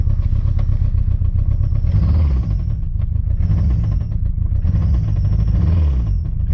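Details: Citroen ZX 1.9 engine after starting: rough, heavy idle with a hard rapid clatter pulsing through it at a steady rhythm; engine knock.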